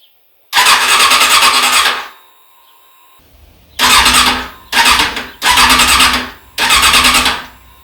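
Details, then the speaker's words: Suzuki Bandit 650 S compression test, ignition on so the engine only cranks, gauge in the spark plug hole: starter whirs in short bursts, spins freely, no firing; about 6.5 bar against 9 bar minimum, 12–16 nominal; owner suspects piston rings, possibly head gasket. "Bon, eh bien ici, d'après notre rapport de compression, on est carrément pas bon. Donc là, ça vient de la segmentation, carrément."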